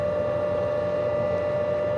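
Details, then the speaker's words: VARMINPOOL 220-volt variable speed pool pump, new install, at speed 2 (2000 RPM). Soft, steady hum with a clean high whine, no knocking or grinding. Normal, quiet running at low speed. "We got speed 2, and you can hear that the sound is not very much with this pump. You can hardly hear it really."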